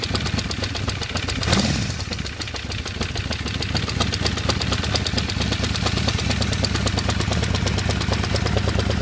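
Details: 1978 Honda CB550K motorcycle at idle and through a short rev: fast, even top-end ticking that keeps going through the rev; source still unidentified.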